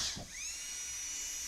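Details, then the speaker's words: Dental delivery unit low-speed handpiece run after replacing a faulty DCI 6310 foot pedal that leaked air, pressure checked against gauge: brief start, then smooth steady high-pitched whir with no chatter or bogging; normal low-speed handpiece run. "Okay, sounds good."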